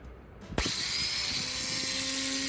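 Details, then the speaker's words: Newly installed starter, air filter and cruise control removed, battery negative just reconnected: sharp click then steady high-pitched whine keeps running; abnormal whining, cause unknown. "customer States there's a loud whining under my hood"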